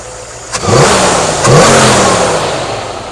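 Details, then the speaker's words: 1964 Ford F100, new Pertronix cast distributor, initial timing set to about 21 degrees (marks possibly inaccurate), no vacuum advance yet: two quick blips climb cleanly and settle without stumble; takes throttle nicely. "21 feels good takes throttle nice"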